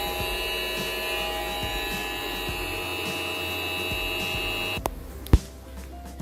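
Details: MasRock solar (PLTS) inverter after four to five years of use: steady buzzing hum with thin high whining tones from inside until it cuts out; worn, dusty 12 V 0.20 A cooling fan to be replaced.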